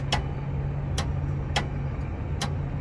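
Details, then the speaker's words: Railroad crossing gate raising on a temporary jumpered extra battery bank, still charging, bell disconnected: steady low motor hum with a few sharp ticks as the arm lifts; less grinding than before, lifts the gates without trouble. "If you listen carefully, there's less of a grinding sound coming from this close S60. So, the battery bank I just installed still has to charge up, but even right now, it was able to pick up the gates no problem."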